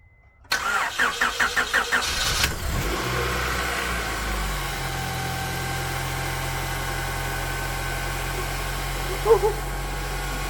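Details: 1998–2002 Honda Accord first start after head gasket replacement, with the head checked for warping: about two seconds of even cranking, then it catches and settles into a steady, smooth idle. A clean start, engine healthy.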